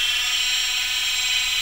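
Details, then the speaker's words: PM-25MV milling machine with a tight-fitting 3D-printed bushing locking spindle and drive pulley together, quill function disabled, at full 2,500 rpm: steady high-pitched whir, smooth with no knocks or rattles; spindle running normally. "and it it makes the spindle and the drive pulley one-piece but you can see it's really quiet makes no noise turn it off"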